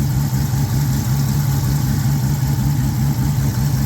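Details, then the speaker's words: Mopar petrol engine idling after the noisy idler pulley was replaced: steady, even, smooth low hum with no squeal or chirp from the belt; normal idle, noise gone. "start her up oh listen to that you hear it anymore cuz I don't I do not hear it anymore"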